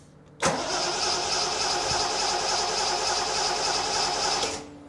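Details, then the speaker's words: 1973 TVR 2500M, first start attempt after a new wiring harness and new ignition switch, choke not yet installed: about four seconds of steady, even starter cranking, never firing. Owner suspects little fuel in the carburetor float bowls; cause unconfirmed. "my guess is I don't have a lot of fuel in the bowls, but I'm gonna take a walk around."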